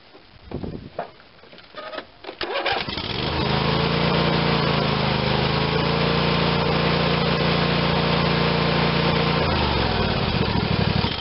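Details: Craftsman YS4500 tractor, Briggs & Stratton 22hp OHV Intek twin, final check after carb cleaning with gasket sealer and carb cleaner, covers refitted: cranks, catches quickly, smooth even drone, winds down cleanly; running like new.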